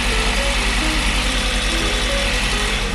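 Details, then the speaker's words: 2022 Honda CR-V Hybrid, 54,000 miles, idling in maintenance mode: lumpy uneven beat; misfires on cylinder 3 and intermittent on cylinder 1 after swapping plug and coil, not following them, possible internal engine issue. "we got a missfire one more Miss on cylinder 3 and cylinder 1 still has some intermittent misfires"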